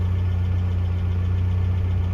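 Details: 1982 Toyota SR5 4x4 pickup after fixing stalling/cut-off problem (owner thinks emissions control computer box was the cause): smooth, even idle with steady low rumble, no stumbles or dips; holds idle cleanly.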